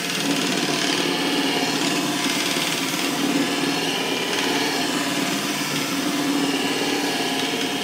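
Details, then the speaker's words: DIY wooden disk sander with a 10 bolt as its shaft, no bearings, and a light-duty motor; even hum with grinding under load and a faint rattle from separating washers; runs smoothly, normal running. "so you can hear them washers rattl a little bit but everything's running nice and smooth"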